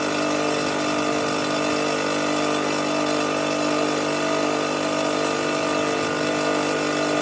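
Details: Fortress 5 gallon air compressor after pressure switch replacement (part #56402): steady even motor and pump drone with dense whirring hum, no knocks or grinding, pumping up before cutting off at 225 psi; normal run.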